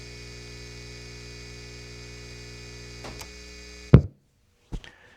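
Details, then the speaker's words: Baseline test: old guitar amp powered from clean grid power before switching to an Anker SOLIX F3000 power station; a low, steady, even mains hum for about three seconds, then a few clicks and quiet. Normal mains hum. "So, I've got the guitar amp currently plugged into grid power and we're get a baseline to see how it sounds uh from grid power, which is known to be relatively clean."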